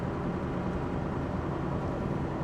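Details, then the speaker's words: Scania R620 V8 diesel truck after full engine service and 100% synthetic oil, climbing a hill under load; even, steady drone with no clatter or roughness, whereas before service it knocked slightly and ran less smoothly: smooth engine under load. "je suis en côte donc le moteur est en charge. Il claque pas du tout quoi. Alors qu'avant il claquait un peu."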